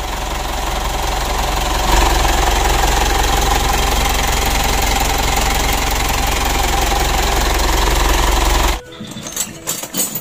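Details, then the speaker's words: 2012 Mitsubishi Pajero Sport Dakar diesel, engine revved on throttle test: loud coarse clatter with a rubbing, scraping edge as if something touches inside, then shut off; mechanic judges the turbocharger damaged, turbo removed. "itu kalau dikasih itu seperti ada sentuhan benda begitu Lur menggesek ya jadi menurut saya pada turbonya ini"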